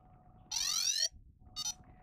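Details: Yuneec Typhoon H drone started without propellers after being reset from the 5 motor error warning beeping: a long rising chirp sweep, then a shorter beep burst, with no repeating warning pattern. Normal startup tones.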